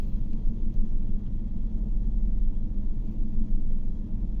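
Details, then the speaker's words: GMC Yukon V8 (2015/2018) at idle with a blinking check-engine light: the rumble surges and dips unevenly, with RPM going up and down and the engine vibrating. P0300 misfire on cylinder 6 with injector code P124D (high control circuit short); injector or wiring fault. "इसमें मिसिंग है इसलिए वो cluster metre में तो RPM up down हो रहे हैं, इंजन भी वाइब्रेट कर रहा है और यहाँ से हमें कंप्यूटर में भी बता रहा है, यानी कि 6 नंबर में फॉल्ट है।"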